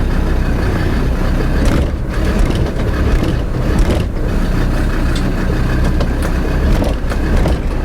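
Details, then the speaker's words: Land Rover Defender rear axle clunk when pulling away or on throttle changes, camera under the car at rear driveshaft-differential joint: heavy thuds over rough engine; owner suspects rear differential backlash. "I suspect really what I've seen so far is that it's going to be the backlash of the rear differential that will be the issue"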